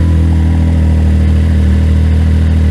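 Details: 2019 Can-Am X3 just fitted with a 2023 P-Drive clutch, in neutral with the secondary not spinning: smooth, steady low idle with an even throb and no clutch chatter or whine; noticeably quieter than before.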